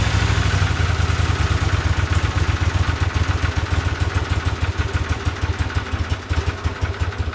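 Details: 1982 Honda CX500 twin, neglected for years, after cleaning tank, petcock, carbs, slow jets (slightly bigger jets fitted) and replacing caps: deep, loud idle with a busy, uneven beat that won't settle; idle still unstable, no change.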